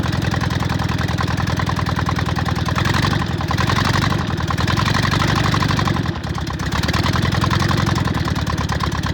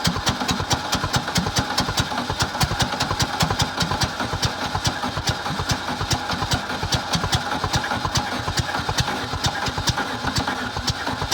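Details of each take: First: VW Bug air-cooled flat-four after new plug wires, ignition coil and distributor, fed fuel from a bottle: steady idle chuff, about 3.5 pulses a second with only slight dips; finally running properly, normal idle. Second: VW Bug engine with new plug wires, ignition coil and distributor, gas poured in carburetor and fed from a bottle: rapid even cranking, about 2.5 beats a second, uneven firing that won't catch; hard starting from slightly retarded ignition timing.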